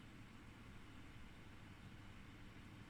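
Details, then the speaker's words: Ebac 660 dehumidifier with a brand-new replacement fan motor at the higher fan speed: a steady, even rush of air with a low motor hum and no rattles or scraping. There is good suction and airflow; it is running healthily. "or the fan motor rather, and you have got suction and air blowing out the front, which is exactly what you want."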